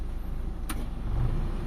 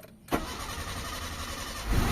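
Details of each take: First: Mitsubishi Lancer with a 4G13 carbureted engine, after a carb fix for stalling in neutral and hard starting, idling with the AC on. The idle-up raises the revs and they hold steady with one click. Normal idle under AC load. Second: Mitsubishi Lancer 4G13 carbureted engine that stalls in neutral, started while testing the carburetor: the starter grinds before the engine catches and revs; hard starting because the carburetor float bowl is still empty.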